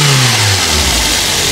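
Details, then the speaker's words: Daihatsu Luxio, about 10 years old, previously misfiring and refusing throttle with check-engine light; loose engine wiring connector found: engine revs up cleanly and smoothly without stumbling or misfire; runs normally after fix. "normal sekali Mesinnya tidak ada brebet tidak ada pincang dan malah Justru lebih normal dari waktu pertama kali"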